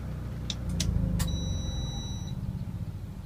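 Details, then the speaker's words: Inverter install test with microwave running on generator, charger in fast-charge AC mode with charge current turned down: generator rumble winds down, microwave beeps once and keeps running; clean switchover to inverter power. "sounds like the microwave beeped, although I didn't see the display flicker. But I'm back on inverter power."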